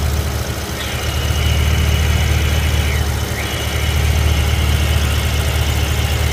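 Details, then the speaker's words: BMW E70 X5M, S63 engine, idling with the earlier catch can setup: a thin, wavering high squeal or chirp from underneath over the idle rumble; excess crankcase vacuum sucks air through the front main seal, not a slipping belt. "if you could hear the the squealing or chirping type noise from underneath the car uh it sounds like as if the belt is slipping but it's not actually the belt it's actually the crankcase sucking in air through the front main seal"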